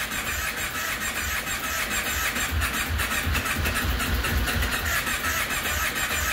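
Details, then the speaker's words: 2005 Kawasaki Brute Force 750 with no spark, running worse after new plug caps: steady starter churn with uneven compression pulses, never firing; meter shows inconsistent voltage to the coil, indicating a failed CDI. "and what you will see here in our two second time frame is uh very unconsistent voltage being sent to the coil so uh it's another indication that the CDI has failed"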